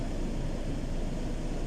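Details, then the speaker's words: Fiat Ducato heater blower on second speed during a harness test for a blower speed-controller fault; the harness proved good and the fault came from the switch. Even, steady low whoosh with no rattle or squeal. Normal blower. "Deuxième vitesse, on entend la ventilation qui se met en route."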